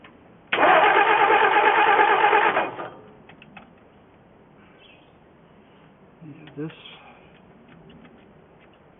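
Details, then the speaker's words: 1963 Ford F350 engine, first start attempt in 20 years, running from auxiliary nurse tank: starter spins engine evenly about two seconds without firing; cause was an air bubble in fuel line and jammed carburetor top vent piece. "I had had an air bubble in my fuel line, and I had to take this off the top of the carburetor because it was jamming up."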